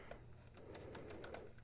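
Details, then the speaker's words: 1950s Olympic Express B&O GP7 HO locomotive on track with voltage applied: steady low electric hum with faint irregular ticks, drawing current but not moving; gearboxes fine, motor seized at bearing, later freed with oil. "you can see we've got current draw and you can hear the motor going but it does not want to move and if we continue doing this we're just going to end up burning out the motor"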